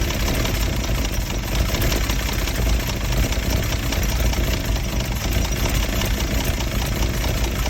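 Low, uneven idle with lumpy loping pulses and a wavering beat instead of a smooth hum; clearly rough-running engine, cause unclear.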